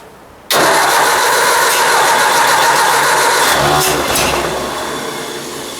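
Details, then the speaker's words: Ford 800 tractor after points cleaning and adjustment, cold at about 5°C and previously run out of gas: the starter churns at a slow, uneven beat for a few seconds without firing, then winds down. The owner wonders if it's getting gas and suspects the carburetor. "oh am i not getting gas to it well i don't know let me try again it's mysterious i just quit"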